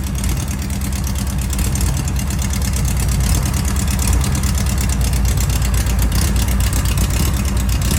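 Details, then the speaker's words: Class 11 race Bug, air-cooled flat-four just installed and fired up at 2 a.m.: steady, even low chug at idle with no knocks, misses or ticking. Normal idle, running healthy. "It's 2 o'clock in the morning. We finally got it on. Sounds good."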